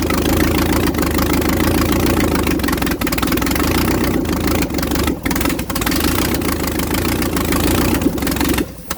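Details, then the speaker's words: 1956 International R180 with a junkyard 454 V8, first start on open exhaust: loud, raw V8 settling into a steady, even idle with no stumbles or smoke; sounds like it's firing on all eight. "I mean Jesus there's no smoke at all it sounds like it's hitting on all eight which really shocks me"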